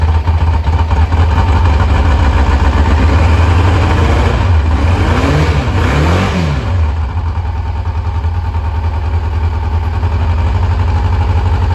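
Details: 1986 Kawasaki Concours ZG1000 idling after its carbs were reinstalled. It blows a little smoke and the owner is unsure whether it runs rich or burns oil. Smooth, low, even idle with a couple of clean throttle blips that settle back steadily; normal idle.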